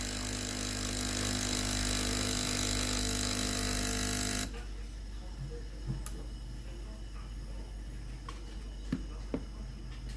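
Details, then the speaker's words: Philips GC9231 steam iron boiler after fuse replacement, powered on: steady loud rush of boiling water for four seconds, then quiet hiss with light valve clicks as the ready light stops flashing; heating normally. "Maintenant, la bouilloire fait bouillir de l’eau. Le voyant prêt à l'emploi cesse de clignoter et la machine est prête à l'emploi."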